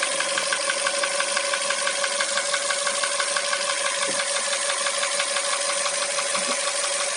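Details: Hyundai Solaris engine revved slightly: steady run with a quick, even ticking knock about three times a second over a constant hum; knock heard during monotonous running, source unclear.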